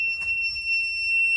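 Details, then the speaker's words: E46 BMW ZHP turbo build, jump pack plugged into wall powering car while flashing ECU tune: one sustained high-pitched beep about 1.5 seconds; jump pack low-voltage warning. "But yeah, we got to listen to that thing beep because not only is the jump pack freaking out because the voltage is low, but we're also tuning this puppy while it's"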